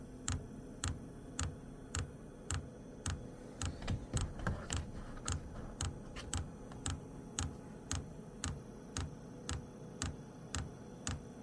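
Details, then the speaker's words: WIPPRO diesel heater after fixing E8/E10 codes with replacement fuel pump, first installed backwards, now correct: crisp even ticks about twice a second over faint fan hum while priming; normal fuel pump ticking. "yeah yeah now it's stting it's starting to work it's going to take a second to Prime itself"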